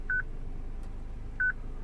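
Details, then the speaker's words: 2006 Citroen C3 petrol with a used replacement radio: short paired beeps about every 1.3 seconds in a quiet cabin. This is the security lock because the radio's stored VIN doesn't match the car's BSI VIN. "Now look at the VIN code that is saved on this radio. Ah, it's a different one. So that is why this beep is happening."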